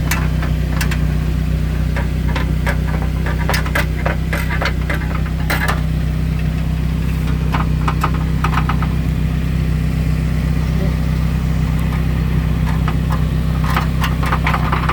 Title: 2001 Saab viggen rattling noise from exhaust heat shield